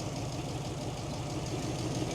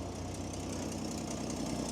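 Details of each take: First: 1941 truck (Ford or Chevy), no electric fuel pump: idling with light quick tapping over low rumble; mechanical fuel pump tapping, lifters only faintly audible, slight miss suspected. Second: Old truck with a stove bolt six-cylinder engine, just started after sitting, charging: quiet, even idle with a low steady rumble and no misses or knocks; normal idle.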